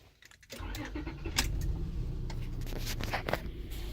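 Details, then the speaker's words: Car running at idle during OBD2 scanner test: keys rattle, engine catches, then idle shakes and stumbles unevenly; idling pretty bad. "Okay, and we also got a vehicle speed idle. Yep, it's idling pretty bad."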